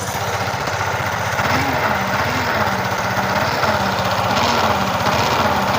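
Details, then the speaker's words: Yamaha R15 V3 at idle: wavering humming, grinding growl over the engine beat that sounds like a crankshaft or camshaft bearing, but is caused by a shorted stator coil. "ஒரு humming noise ஒரு உரு உருன்னு ஒரு உருமுறை noise ஒன்னு வந்துட்டு இருக்கு."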